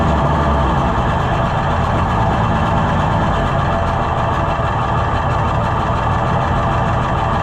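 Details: Junkyard Oliver Super 77 tractor with new carburetor, in neutral: steady even low idle without misses or knocks over about eight seconds; running normally while low-speed needle adjusted, though it falls on its face when revved.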